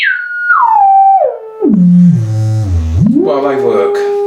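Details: Harman Kardon HK695 computer speakers after side speaker repair (previously no volume, distorted), tone generator sweep from high to low hum and back, 20 Hz to 1 kHz and up: clean, no buzz or rattle; working properly.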